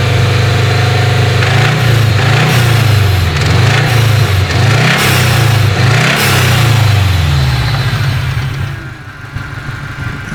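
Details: Subaru EJ20G turbo engine, run 11,000 km through winter without an oil change then hard driving; deep rapid knock during revs, most obvious as throttle drops off, from a damaged connecting rod bearing on one rod; rod knock.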